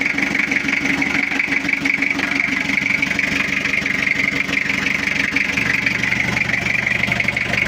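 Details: Toyota Kijang diesel just started after cylinder-head rework, glow plugs installed, cover still off, cold: even, steady idle with regular beat, no knocks or misses; already sounds good.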